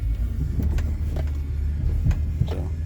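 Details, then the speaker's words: 2012 Buick Enclave, 55k miles, test drive over a dip and bump: low steady road rumble, only soft thumps, no clunks, knocks or rattles. Suspension sounds tight and healthy. "I'm not hearing any noises it sounds good feels tight"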